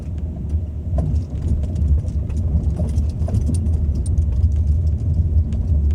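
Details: Ford Focus 2 driving: over steady road rumble, sharp irregular light knocks from the front now and then, suspected steering rack knock.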